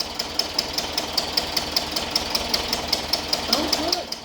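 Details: 1976 VW Westfalia Type 2 bus with a replacement used engine, freshly started. Light ticks about two or three per second over the idle, attributed to hydraulic lifters pumping up, though a small exhaust leak is also suspected. Valve train ticking.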